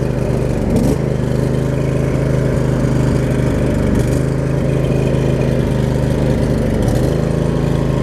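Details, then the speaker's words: Craftsman riding mower with Briggs & Stratton V-twin, after shift hub repair; choke had been left on, then steady even drone at constant speed with no stumbling or knocking. Normal running. "you can hear the motor spooned out after it got running we know that works"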